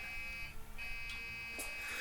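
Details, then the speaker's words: Dell Dimension desktop running Windows XP that powers up but won't post or show on the monitor, with an unhappy hard drive: steady high-pitched beeping over fan hum, a startup error beep code. "so we've got some beeping so we've definitely got power going to it"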